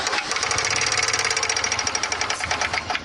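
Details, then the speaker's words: Loose (floppy) timing chain tensioner found under the valve cover of a Charger in for service; fast, even metallic ticking over the running engine as the chain slaps; tensioner relies on oil pressure, risk of chain skipping. "here is the chain tensioner and we have a Flopper yeah it's a Flopper all right you know what Dave it sounds exactly like the noise we heard that ticking there it"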